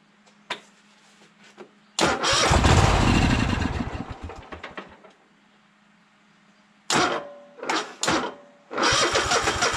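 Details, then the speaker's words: Troy-Bilt Horse tractor engine, first start attempts on starting fluid; repeated quick cranking catches briefly then dies; no fuel reaching the filter, owner suspects bad fuel pump, later replaced; cranks but no start, fuel starvation. "well I'm not getting no gas so I'm thinking maybe the fuel pump may be bad so let's try this one more time yeah it don't look like it's trying to pump any fuel"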